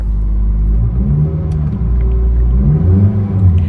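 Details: Honda Civic natural gas (CNG), 149,000 miles, started after an immobilizer key issue: deep, loud, uneven exhaust rumble at idle; loud exhaust, owner suspects catalytic converter missing, not confirmed.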